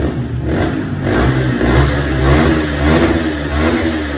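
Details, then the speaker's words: 2017 Yamaha R15 that started but stumbled and would not rev, after fuel system cleaned and refilled; small single picks up and revs freely without bogging, rides normally again; normal revving. "โอเคสรุปรถคันนี้สามารถกลับมาสตาร์ทติดได้เหมือนเดิมนะขี่ได้ปกตินะครับ"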